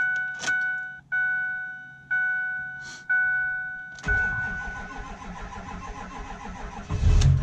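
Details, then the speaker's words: Ford 6.4 Powerstroke diesel after injector-related repair, codes cleared, 73-degree day: warning chimes, cranks, catches and settles into steady even idle with no miss or stumble; running much smoother than before. "well go in here and make sure we don't have another injector code and I mean you can tell it's running a heck of a lot smoother"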